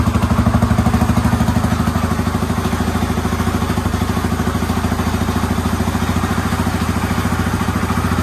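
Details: Yamaha Raptor 350 quad after top-end rebuild, first start, plastics and tank off, fed from a battery, Chinese carburetor; steady even single-cylinder putter at settled idle, no misses, knocks or rattles, healthy.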